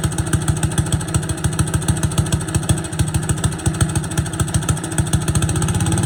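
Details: Boland's 3.5 chipper shredder, unused for at least 20 years, running on its own gas tank without starting fluid, fuel line dripping slightly: quick, even single-cylinder putter holding a steady beat with no misses or knocks; running normally.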